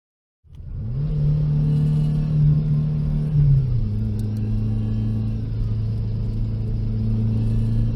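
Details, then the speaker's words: Subaru with EJ257 engine on track under load: engine drone with a faint rising mechanical whir and scrape climbing with revs from a blown turbocharger with shaft play and blade rub. "that's right team benji's turbo took a dump and i can't say that i'm happy about it"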